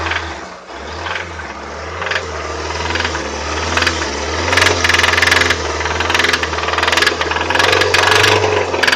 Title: 2003 Toyota Avensis 1.8 T3-X , knocking and rattling noise